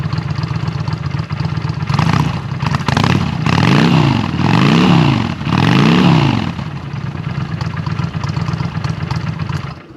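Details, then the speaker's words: 2009 Honda Shadow Spirit 750 (VT750C2) V-twin with Cobra exhaust, throatier than stock: loping idle blipped three times, pitch rising and falling smoothly each rev, returning to a steady idle; healthy engine. "I'll fire it up quick to let you guys hear what it sounds like. Sounds a little bit throatier than stock with the Cobra exhaust on it."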